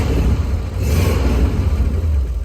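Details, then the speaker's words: Rolls-Royce, slightly warmed up, before the intermittent ignition cut-out recurs: a deep, smooth note rising and easing through a rev with the small fuel pump audible, no knocks or rattles; normal running. "It's running like clockwork now. And now she's warmed through a little bit. She sounds lovely."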